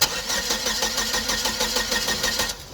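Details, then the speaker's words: Hyster S70FT forklift with GM Vortec 2.4 engine, not starting, suspected timing issue, test light on coil negative for cylinders 2 and 3: starter cranks evenly about four beats a second, never catches; crank, no start, no spark. "so we got our test light test light that's connected to the negative all right i'm gonna put it right here see if we can see the spark jump by cranking"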